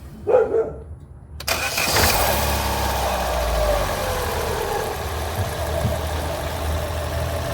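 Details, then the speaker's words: 2012 Chevrolet Sonic, poly belt refitted after removal silenced a strange engine noise; short crank then steady idle with no knock. Noise returns with belt on, owner suspects the water pump. "se le fue el ruido ahí se la voy a volver a colocar la la correa a ver si vuelve el ruido"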